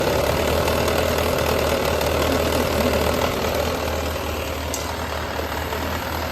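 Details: Yamaha XJR400 (RH02J) engine assembly H501E, sold as running with no abnormal noise or white smoke, compression measured: a steady, even idle with a smooth low exhaust beat and no knocks, ticks or rattles. Healthy engine.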